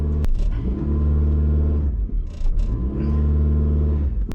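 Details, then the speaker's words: 1984 Toyota dually pickup with automatic transmission towing a load: engine revs and bogs in two long surges without pulling; owner suspects a worn-out transmission. "She just ain't got it in her no more."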